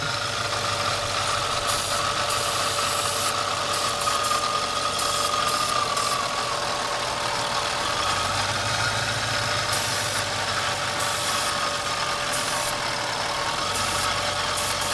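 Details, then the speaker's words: Mercedes E55 AMG after alternator replacement, now charging. Idle rumble swells and sags every few seconds instead of holding even: surging idle. Owner suspects a boost leak. "so you hear the motor go in and out I definitely got a boost leak somewhere"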